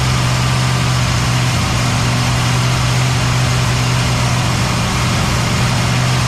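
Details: Cadillac ("Lil Debby") restarted after fuel-line hose clamps were tightened during diagnosis of a brand-new but failing fuel pump; even, steady idle with deep low hum, no misses, knocks or surging. Normal idle.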